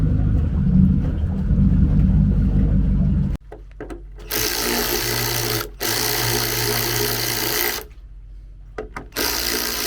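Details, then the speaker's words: GT40 V8 in a Nautique boat, restarted an hour later after heat soak with the low-pressure fuel pump replaced and about 17 PSI held, priming to 40 PSI; it starts strong and runs with a deep, steady, even rumble; normal running. "hour later and she starts strong so we'll go ahead and take her for a spin"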